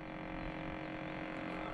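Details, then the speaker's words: 2007 Cadillac Escalade ESV, under 100k miles: a faint, steady hum from the small fan in the overhead cabin temperature sensor grille, which pulls in air for climate control. "it's making a noise well that's actually where your sensor is that controls your temperature your internal temperature of your your ac unit uh so there's a little fan in there that pulls in air"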